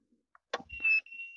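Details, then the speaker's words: 1000 W 12 V DC to 220 V AC inverter on the AC cord through a series line at switch-on: a short beep, then clicks as the power comes on and cuts out repeatedly; the fault is not yet found. "এখানে একটা beep দিছে। এটা পাওয়ার আসছে আবার বন্ধ হয়ে যাইতেছে, আপনারা দেখতে পাচ্ছেন। শব্দ হচ্ছে, হয়তো আপনারা শুনতে পাচ্ছেন।"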